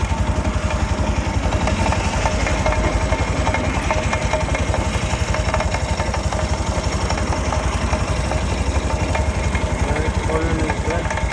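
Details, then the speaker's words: Italika (Zongshen RX1) 200cc motorcycle on its stand, running after the chain was adjusted: a steady rhythmic clatter near the front sprocket. The owner suspects a worn chain and possibly worn sprocket teeth, and fits another chain. "tiene un rito en la cadena muy raro el rollito lo hace aquí a la altura del piñón"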